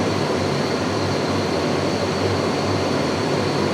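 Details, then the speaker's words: Shop furnace just converted from natural gas to LP, main blower running and delivering warm air: steady even airflow rush with a low hum, no rattles or scraping; normal blower operation. "All right, let's see if the actual blower itself kicks on. Oh, I hear it and I feel it. Oh yeah. Nice."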